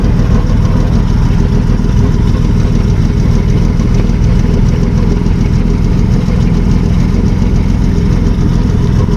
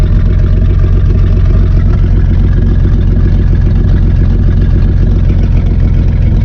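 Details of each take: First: 1955 Plymouth two-door wagon, parked since 1980, with the muffler cut off: steady, even low rumble idling without exhaust, no knocks or misses, strong oil pressure; normal idle. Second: 1955 Plymouth Plaza two-door wagon, parked since 1980, idling with muffler cut off: deep, steady, rapid loud raw chuffing from open exhaust, smoking a little, good oil pressure; may die at key-off, owner suspects ignition wiring.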